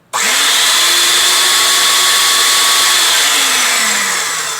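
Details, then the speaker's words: Spray Tech 1420 airless paint sprayer, front cover off: steady electric motor whir, faint tone, no rhythmic pump thump; piston not stroking again after an earlier fix. Owner suspects it needs repacking or a new piston. "this right here is supposed to go up and down and I've already taken this apart and fix this problem once"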